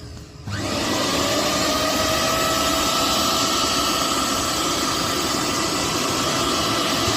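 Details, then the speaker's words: Bosch 1000 mixer grinder not grinding properly: motor spins up to a harsh, rushing roar with a thin whine; cause was a loose coupling, replacing it cured the noise. "Mixer का coupling loose था जिसकी वजह से यह problem आ रही थी"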